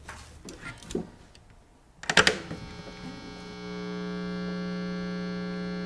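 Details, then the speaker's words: Old guitar with a vintage single-coil pickup after wax potting and adding a ground wire: a few handling taps, then a steady low buzz with no howl or squeal. This is normal single-coil hum. "now obviously you still hear a little bit of hum there that's all normal electronic interference that you're going to pick up on an old guitar with a single coil pickup"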